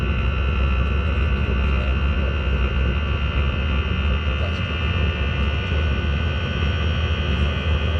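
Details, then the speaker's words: Chinese diesel heater in Talbot Express motorhome, after attempt to quieten jet-engine noise: steady deep roar with constant hum, no pitch change; noise comes from the exhaust, not the heater unit. "true well the actual nose is coming from the exhaust not from heater"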